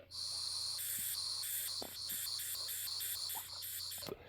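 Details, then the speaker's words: Tillotson HR74A carburetor off a 1969 Ski-Doo Alpine with 299cc Rotax engine, bench test blowing air into tube: airy hiss in pulses changing tone as ports are blocked; air flows freely through open return-line ports. "You hear the sound change, so you know for sure there's air traveling through those ports."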